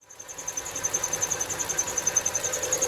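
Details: 2.7L V6 Kia Rondo at quiet idle: sharp high chirp pulsing about three and a half times a second from the belt drive; owner suspects the tensioner or idler pulley, belt probably also due. Cause suspected, not confirmed.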